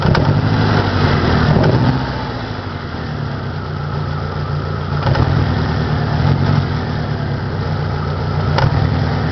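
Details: 1993 Saturn SW2 in park, low on power, with the check engine light reported both off and on: uneven idle with an irregular stumble and loping beat. Engine misfiring at idle.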